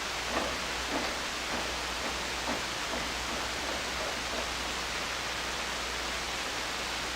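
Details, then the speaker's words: Hammarlund SP-600 communications receiver after reverting modified B+ supply to the oscillator, set on CW and AVC: flat steady hiss, no tones or signals; sounds too smooth, owner suspects no local oscillator again. "Oh yeah. Well, it doesn't sound very good. Sounds too smooth to me. Oh, come on, man. Come on. Why do you like this? It sounds like there's no local oscillator again."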